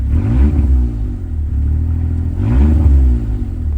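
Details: Suzuki Alto Works after a breakdown with dimming lights and a battery swap, revved with lights off to check for belt squeal: two quick revs climb and fall back smoothly, low rumble, no squeal. Normal revving.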